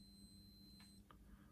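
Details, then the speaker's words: Yamaha FC5 keyboard sustain pedal cable checked with a continuity tester: steady tone drops out around one second then returns as the cable flexes, showing an intermittent open circuit from a broken wire in the lead. "but the problem is here and if I get me to touch this now it's not working it's breaking as you can hear not working working"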